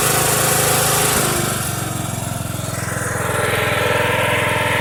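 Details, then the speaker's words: Mower "Filthy" running cold after about two months unstarted, oil unchecked, kill wire still unfixed: small engine runs steady, dips slightly then picks back up to an even beat; runs well. "It ain't been started in quite a while. Last time it's been running was on a Mower Monday. I'll have to go back and look. Don't filthy run good."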